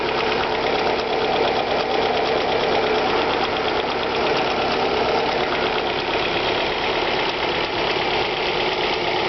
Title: Alfa Romeo 156 1.8 TS ticking engine noise cold start